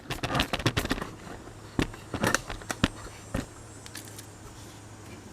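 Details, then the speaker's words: 1965 Mustang with a factory 1994 steering shaft, engine off: sharp irregular metallic bangs as the wheel turns, the steering shaft striking the exhaust; custom shaft with universal joints being installed to fix it. "That's hitting the exhaust right there. So that's what we're trying to avoid."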